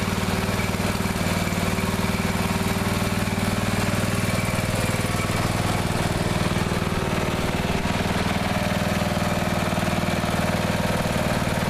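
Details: Neglected riding mower after repair, fresh gas, fuel shutoff, filter and hose clamps redone, started on jumper pack due to weak battery: smooth, even single-cylinder putter at steady speed, no misfires, surging or knocking; now runs perfectly.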